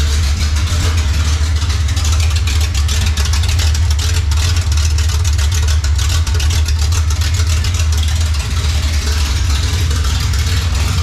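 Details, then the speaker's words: 1955 Chevy drag car, first start, in neutral: a loud, choppy V8 idle with an uneven lope through open headers, steady and strong. A healthy big-cam idle. "she's got the choppy chop cam I like it"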